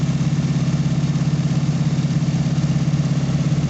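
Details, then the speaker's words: 1988 Chevy S10 engine after rebuild, cold and warming up, coolant burped, O2 sensor unplugged: smooth steady low idle with even pulse around a hundred per minute, no knocks or misses; normal idle. "sounds good i'm gonna let it warm up do her thing"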